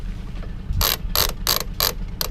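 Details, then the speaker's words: Gibb single-speed jib winch on Tanzer 22 sailboat, serviced with new grease and oil: crisp, evenly spaced pawl clicks about three per second as the drum turns, no grinding or slipping; ratchet working fine. "That turns really nice,"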